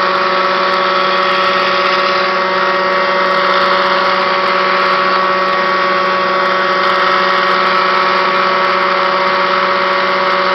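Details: Kirby Classic 1-CR vacuum, used three times after thrift-store purchase, growing louder and shakier: loud steady motor roar with fixed hum and unchanging sharp whine; worn motor bearings.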